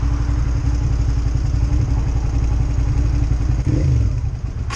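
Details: V-twin motorcycle running lumpy and uneven, then the note drops away and the engine dies; cutting out and stalling, owner suspects the fuel injector.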